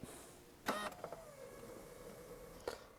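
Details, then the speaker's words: 2001 C5 Corvette after oil pressure sensor replacement, fuel line drained: key-on click, steady mid-pitched hum under two seconds, another click; fuel pump primes normally before the engine fires. "Heard it prime. Well, it fired up, and check this out."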